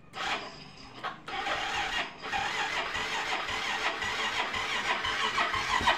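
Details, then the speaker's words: Yamaha Mio M3 on electric start: starter turns the engine sluggishly with a laboured uneven churn, never catching, though kick start fires at once and compression is fine; weak cranking. "loyal sekali ya teman-teman Ya seperti ada kebocoran komprensi ya ya teman-teman ya"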